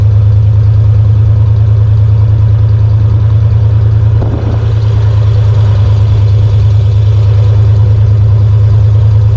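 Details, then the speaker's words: 1991 Ford Bronco 351W V8 after Bar's Leaks head gasket sealer and coolant top-up; deep steady idle, no miss or knock, no smoke or antifreeze smell: normal idle. "We started this Bronco up again after checking all the fluids. It runs. There's no smoke. There's no excess of this or that."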